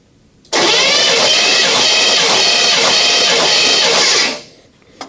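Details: 1983 Chevy K10 engine, revived after 24 years off the road, cranking on the starter during a compression test with the plugs out; an even, steady rhythm with no uneven beats, and a 155 reading on the cylinder shown. Healthy compression.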